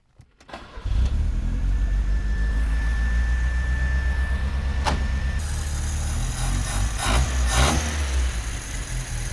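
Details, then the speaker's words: Old Italian sports car at startup: cranks, catches, then uneven lumpy wavering idle that stumbles, and tends to die once warm; vacuum leak at cold start solenoid causes rough idle. "so before I continue I'm going to go ahead and start the car so you guys can see what it's actually doing how it kind of stumbles on idle and turns"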